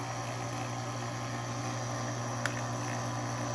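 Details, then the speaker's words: GE Opal 2.0 nugget ice maker after replacing stripped nylon gearbox gear with 3D-printed gear, top open, auger running unloaded: steady low motor hum, soft even whir, no grinding or clunks — normal auger gear motor running. "You could just pop this top open, start running the ice machine, and just watch the auger."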